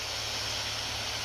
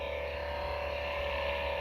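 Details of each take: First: Acer Predator Helios 300 laptop in turbo at maximum fan speed, after greasing fans with white lithium grease: loud steady airy rush at constant pitch with no ticking or grinding; normal full-speed fan sound. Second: Acer Predator Helios 300 laptop at idle, CPU and GPU fans at lowest speed about 2200–2300 rpm: steady whirring hum with a thin constant tone; dry GPU fan bearing, fixed with white lithium grease.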